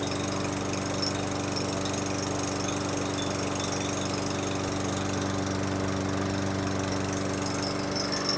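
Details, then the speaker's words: 2018 Murray walk-behind mower, Briggs & Stratton 625EXI, after repair: had low rpm from aged-out fuel, carb showed no blockage; with fresh non-ethanol fuel it holds a steady even single-cylinder drone at constant speed, no surging or misses; normal running. "fuel aged out fuel just wasn't running good put fresh WWA non ethanol and think Pur like a mountain lion in Northern Colorado"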